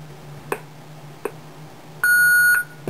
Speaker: push-to-talk really is telling as I Roger beep this is a warning tone